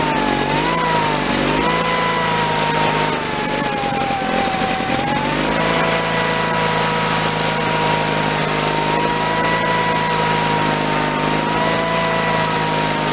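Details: 1985 Case Ingersoll 448 hydrive garden tractor, Onan twin B48M/B38M engine, after fuel line replacement and no-start fix, warming up: steady even running with constant mid-pitched note, no misses or knocks; fuel system pumping properly.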